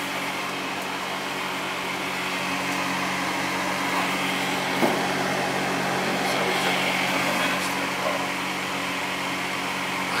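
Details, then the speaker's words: Old Goodman gas furnace on a no-heat call, restarted after a seized part was replaced; burner lights and runs with a steady, even rush of flame and blower, no rattles or squeals; normal furnace operation. "houston we have ignition there we go"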